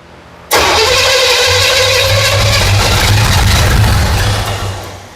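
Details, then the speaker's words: 1977 Pontiac Firebird, overhauled small block Pontiac 350, after correcting a wrong Chevy firing order: catches suddenly and runs rough and lumpy for seconds before sagging away; timing too retarded, advancing it helped, vacuum leak suspected. "Adjust the timing a little bit. >> It sounds better. >> Yeah, way better."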